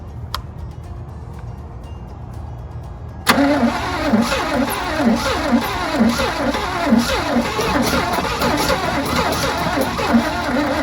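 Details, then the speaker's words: 1986 GMC Sierra engine that sat 10–15 years, new distributor fixing no spark, with only a little gas poured in the carburetor; steady starter grind near one beat a second with brief ragged hits that never catch: fuel starved, not spark. "An engine that's been sitting 10 to 15 years and you just put very little amount of gas in the carburetor and it hits like that. This is the engine is gonna fire up. We just got to get fuel"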